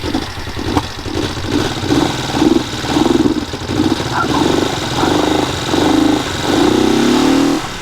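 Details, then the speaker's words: Old motorcycle with fresh gas and new battery, first start: idles unevenly, surging and sagging about twice a second without settling, sounding a little lean as if running out of fuel. "sounds like it's a little lean like it's running out of fuel but I think we're gonna try to ride it"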